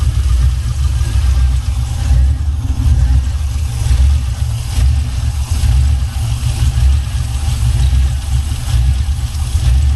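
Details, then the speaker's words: 1979 Buick Regal with a swapped LS 6.0 V8 and new exhaust: heavy, loping low rumble at idle, about one lope per second, uneven and choppy from an aggressive cam, running as intended. "Mount cam. You got a mount cam in, y'all."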